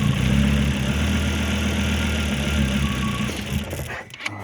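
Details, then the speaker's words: Volvo XC70 after timing belt replacement and rewired wire harness, battery long disconnected and computer cleared, at startup: steady idle for a few seconds, then firing weakens and it dies out; stalling, cause unknown. "man what the hell I mean that sounded great all the way up until just whatever that was all about"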